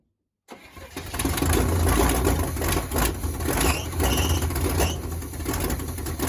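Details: 1979 Chevy C30 after 8 years parked: starter churns steadily about three turns a second with no firing or catch; cranks but won't start; stuck carb floats suspected.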